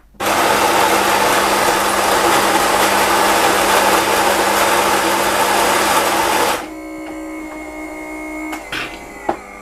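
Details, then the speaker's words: New Nivona 690 coffee machine, medium grind, strength 3: loud steady grinder whir about six seconds, then quiet pump hum with clicks; brew no longer cancels, normal grind and brew cycle. "Ну и что и требовалось доказать, на третьем уровне крепости отмена уже не происходит. Пошел налив кофе."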